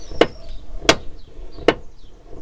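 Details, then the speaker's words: Toyota Corolla E150 door: four sharp single clunks, about one every 0.75 s, as the door swings through its check, still heard after Litol-24 grease; owner suspects worn door-check rollers/guides needing panel removal and replacement. "извините за выражение, ужасный удар. И это просто ужасно. Скорее всего, износились направляющие, которые необходимо разобрать, заменить и снять всю панель целиком."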